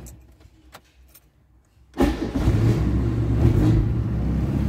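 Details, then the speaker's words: Fiat Premio 1991 after replacing the starter solenoid: after a quiet pause the starter spins briefly and the engine fires immediately, settling into a steady idle. A clean, normal start. "Só dá uma beliscada, que nem a gente fala, né?"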